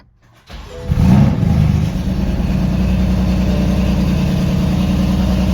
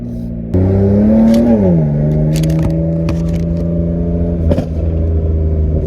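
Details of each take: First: BMW M4 after a spark plug upgrade, new plugs not properly gapped, check engine and drivetrain malfunction lights on; cranks, catches, settles into an uneven lumpy idle with a stumbling beat. Misfire from incorrect spark plug gap. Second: BMW M4 on a drive with new spark plugs, check engine light cleared; strong steady pull with pitch rising evenly through the gears and a shift near two seconds, smooth and free of misfire, just before an unexplained pop sound.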